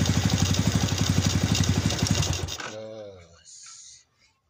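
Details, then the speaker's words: Yamaha Vega motorcycle with a clutch that slips on climbs and jumps: rough, loud clatter about three beats a second over the idle before shutoff; "klatak klotok" noise, suspected clutch side, unconfirmed before teardown. "kita bongkar motor ini suaranya rame banget ya jadi motor ini suaranya Klatak Klotok Klatak Klotok bisalah suka ngeplos selip ditanjakan juga suka loncat-loncat"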